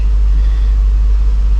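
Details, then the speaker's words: After intake manifold gasket repair, 2007 Dodge Magnum SRT8 6.1 Hemi V8 idles deep, smooth and even with no lope, miss or ticking; never idled this well in five days owned. "it's never idled this well either since i've owned it which is only you know five days and uh nice and smooth fantastic"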